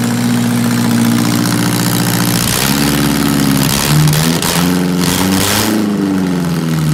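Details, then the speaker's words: 1978 MG with swapped 1.6L Mazda Miata engine, newly running, before idle air control valve removal; owner has vacuum leak issues. Uneven hum surging and hunting every second or two; rough running, cause unclear. "she's not perfect yet but she is running that was a huge milestone"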